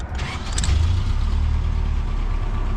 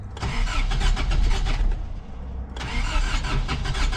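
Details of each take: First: Toyota 4Runner 1st gen with 22RE engine and 5-speed, after full engine rebuild and exhaust welded up to quiet it: engine fires and settles into a deep, steady, quiet idle with no exhaust rasp or ticking; normal idle. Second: 1987 Toyota 4Runner engine after rebuild, sat long, distributor re-stabbed one tooth because timing seemed one tooth off; cranks, catches, settles into lumpy idle pulsing about three times a second: rough idle from incorrect ignition timing.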